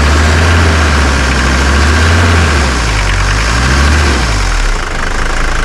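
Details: 1981 Mercedes 300GD diesel with glow plugs, revived after 6 years parked, starts first try and idles with steady, even clatter and a smooth low thrum, no misses or knocks. Judged perfect: normal diesel idle.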